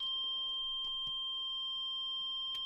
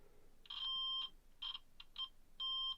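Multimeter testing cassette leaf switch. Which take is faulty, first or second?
second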